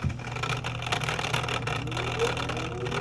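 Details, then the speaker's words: LG direct-drive washer that won't drain, in diagnostic mode with door locked and drain pump engaged: rough buzzy hum with thin whine climbing in pitch; pump housing already opened and empty, so the drain pump is bad. "That doesn't sound right. That does not sound like I've already opened it up. There's nothing in there. That pump is bad."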